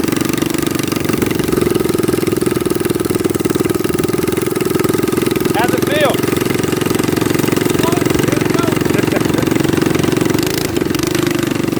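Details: Baja Warrior minibike small engine, throttle stop screw removed for full throttle: steady, even buzzing drone at constant speed with no misses or knocks; runs cleanly.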